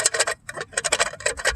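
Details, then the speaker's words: 2005 Chevrolet Silverado Crew Cab while driving: quick bursts of light sharp clicks at the wheel, sounds like a wheel bearing but owner says it's just something loose; new axle fitted. Wheel clicking. "When I got it, I was like, "What's that noise?" When I'm driving, it just makes this little clicking noise, and"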